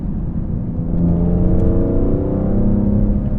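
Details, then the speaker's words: BMW E46 M3 with CSL carbon intake and CSL tune, in cabin on a downshift; quick rev blip rises then settles smoothly with deep, even intake roar, no knocks or misses; healthy. "Let's see on downshift how it sounds. This is crazy. What do you think? I think it sounds good."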